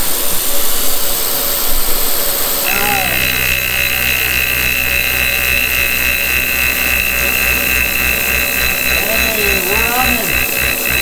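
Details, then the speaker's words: Kearney & Trecker horizontal mill running on its first cut: steady whine with an uneven low flapping beat about three per second; one drive belt is very loose and flopping, new belts needed. "as you can hear there it needs um it needs some new belts one of them in there is real loose and just kind of flopping around"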